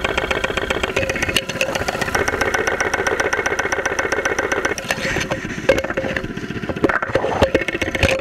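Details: 2001 Saturn SL2 run with very low oil and unused for two months, heard through a stethoscope microphone at idle with 35-40 psi oil pressure: a sharp, rapid knock about four a second. Oil-starvation bottom-end damage suspected, not confirmed.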